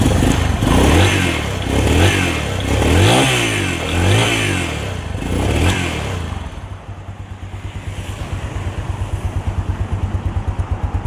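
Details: Honda Phantom 200 single-cylinder after second rebuild fixing leaking valves, plus piston, rings, cylinder bore, cam chain, rocker and front sprocket replaced: crisp throttle blips then steady even idle, no knocks or rattles; healthy.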